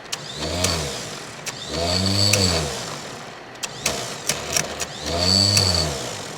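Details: 1970 Chevrolet K10 4x4 pickup, old V8 abandoned 26 years, cranked with a jump pack after fixing a missing ground: cranking comes in bursts and catches briefly with a sputter, then dies; not running yet.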